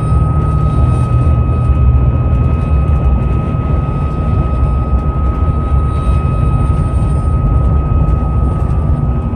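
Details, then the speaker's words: Driving around 50 mph: steady pure whistle over heavy road and wind rumble from the roof light bar; noise starts near 45, changes at higher speeds — light bar wind whistle. "the noise stores at about 45 and you guys can hear that there's a whistling sound plus there's windows hopefully you guys can hear that"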